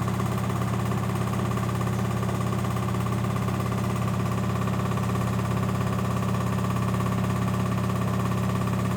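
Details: LG 1007 SNW 7 kg washing machine during spin: loud steady low droning rumble with heavy vibration, far rougher than normal; recurring after others left; cause not identified.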